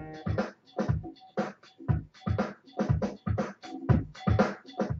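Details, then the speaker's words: Razer Mako 2.0 speaker set, about three years old, after replacing a capacitor to cure a clicking noise at startup; music plays cleanly with a steady beat and no clicks between notes; fix confirmed. "so it goes jump straight to the music on startup so that's perfect"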